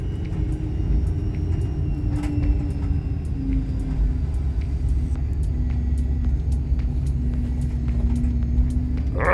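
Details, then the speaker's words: BMW E36 drift car, engine running: wavering mid-pitched whine over the engine rumble, drifting with revs; the power steering pump seems to have failed, and the owner plans a steering rack flow mod instead of replacing it. "that's so bad well as I'm sure you could hear that is my power steering pump"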